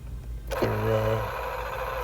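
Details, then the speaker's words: 1970s GE-type vintage alarm clock cassette player radio: the motor kicks in with a short rising whir, then a steady rough drone. The cassette drive mechanism makes a horrendous abnormal noise, cause unclear. "oh no no something not right in there that doesn't sound good"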